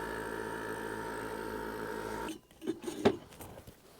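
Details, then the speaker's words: Solar pond aerator air pump, replaced after the old pumps' motor brushes failed and stopped pumping: steady low buzzing hum with an even pulsing tone, then stops; running normally. "it was in fact bad brushes on the motor so a quick change out and we should be good to go for a couple more years"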